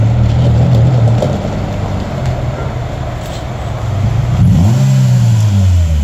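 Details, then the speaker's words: Very rusty Honda CR-V whose earlier issue was a rock stuck in a valve, now driven around; it rolls up with a steady, even low engine drone and no knocks or squeals, running and driving good. "But it runs and drives good."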